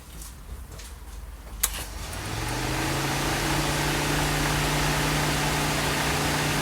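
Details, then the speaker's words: Mitsubishi Lancer with overheating: after a temporary wiring fix so the fan runs whenever the ignition is on, quiet, then a click and the cooling fan spins up to a steady, even low whir; normal fan operation. "see now you hear the fans on so every time you turn on the ignition of the car it will start"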